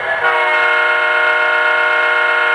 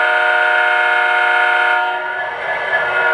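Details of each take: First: O-scale 3-rail diesel model locomotive horn after loose debris was cleared from the speaker area: a full, steady, clean tone with none of the earlier cheap-speaker vibrating buzz. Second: O-scale 3-rail diesel model locomotive: loud horn tone carries a vibrating, razzing buzz from a loose piece of debris on the speaker cone, removed by hand.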